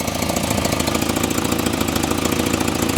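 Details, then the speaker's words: Volvo 245 parts car (91,000 miles), first start-up: steady idle with a sharp, rapid ticking puff on every firing pulse, about 200 a minute; exhaust leak, with no blow-by seen. "Oh, recent oil? That's an exhaust leak."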